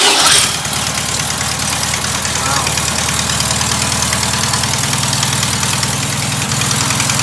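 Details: Rebuilt air-cooled VW flat-four, once a sidewalk engine, on first runs with a Zalex starter box: it catches quickly and idles steady and even, with a raspy exhaust from a noisy muffler while the motor itself is quiet; normal idle.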